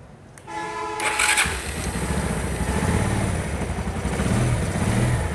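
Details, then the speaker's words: Very old Pulsar after fitting new rocker arm washers: starter whirrs, engine fires and settles into a steady, even idle with no top-end clatter; tappets still to be adjusted after oil check. "আলহামদুলিল্লাহ বাইকের সাউন্ডটা সুন্দর হয়ে গেছে।"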